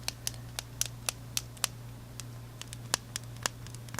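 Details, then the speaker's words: Rebel Time Aviator Chronograph watch on leather band: sharp uneven pops and clicks as the band twists or is squeezed, from the spring bars interacting with the leather and lugs. "you get this popping sound you hear it it's annoying it is just drive me bat poop crazy annoying"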